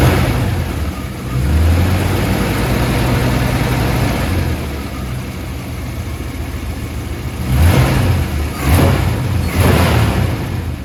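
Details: Holden HT 308 V8 after cracked exhaust manifold repair and spark plugs changed on both sides: even idle rising into three clean revs with a smooth burble, no ticking or puffing from the exhaust; normal running and revving, sounds healthy.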